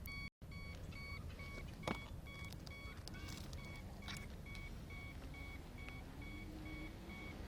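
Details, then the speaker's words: Gyroboard hoverboard nearly dead battery, flashing green light, struggling to keep rider upright: continuous short high beeps at steady pace over faint motor hum; low-battery warning. "Oh, it's not happy. It's continually warning me now. So let's see if it even dies."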